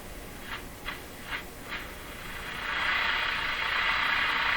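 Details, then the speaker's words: Eatons Universal Electrohome floorstanding tube radio with AN-200 loop antenna, retuning antenna toward a French station: brief chirps then steady hiss swelling and holding; normal receiver hiss as antenna comes into tune. "So I'll bring it in, and you'll be able to hear the hiss on the radio come up."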